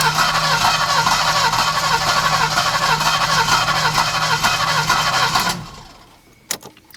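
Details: Alfa Romeo 90 after 22 years standing, new fuel pump just fitted: starter churns at about two even beats a second for five seconds but engine never catches, then silent.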